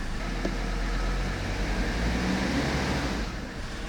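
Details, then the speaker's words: 1982 Mercedes-Benz 300TD wagon, OM617 diesel, after valve adjustment and oil change: even low clatter lifting smoothly on a deliberately light rev, no knocks or misses; healthy engine. "That's just a light rev. I don't want to give it too much."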